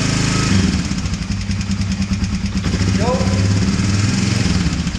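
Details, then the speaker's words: 1999 Honda FourTrax 300 4x4 ATV after carburetor cleaning, previously stalling while riding: steady, even low putter from the single with no misses or surging, started on a little choke; normal idle. "All right. I think we're in business. I think we're in business."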